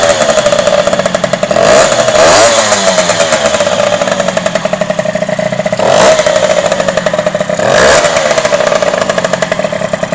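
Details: Derbi DRD 03 two-stroke, first start after a full engine restoration: a crisp, rapid buzz holds a steady idle and rises cleanly on a few throttle blips; runs healthy and even.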